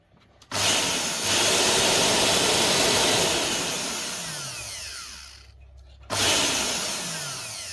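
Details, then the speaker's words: Multipurpose blender motor powered directly on the bench: a high whir spins up, winds down and dies, then kicks back on. It must be turned by hand to run and stops at certain rotor positions, pointing to dead commutator segments. "này đang có hiện tượng là khi mà quay đến một vệt trí nhất định là nó sẽ không quay m tơ"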